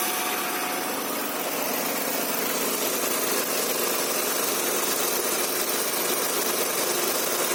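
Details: Honda Accord V6 first start after rear main seal and oil seal replacement and engine reinstallation: steady, even hiss-like idle, no knocks or misses; runs smoothly, some oil still leaking below.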